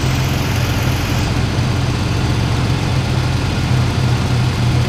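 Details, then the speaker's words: 1998 Ford Ranger 3.0 farm truck with swapped engine, after a fix for high idle: warm idle with a low, slightly uneven pulse and faint lope; mildly rough but livable. "hat it does still seems like the idle's just a little bit rough but it's it's uh liveable you know this just going to be a farm truck anyway"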